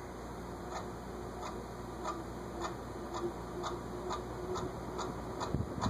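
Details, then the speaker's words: SMC A52 vintage ceiling fan with badly dry bearings; light dry ticks about twice a second over quiet hum, owner can't tell which bearing and plans to oil the top one. "And I'll hit the top bearing. I'll need the ladder for that, because I can't get my ear close enough to it to tell which bearing it is."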